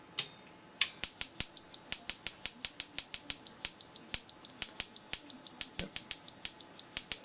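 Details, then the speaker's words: Simplex 35mm cinema projector xenon lamp ignitor on bench, marked 8.3; sharp uneven snapping sparks about four a second over a faint high whine of the 300–500 Hz step-up converter, only about 8 kV: erratic spark gap firing. "hear the pulse frequency of the stepup converter sounds like maybe 300 or 500 Herz definitely we're not getting reliable uh firing on the spark gap we're only getting maybe eight kilovolts out of that"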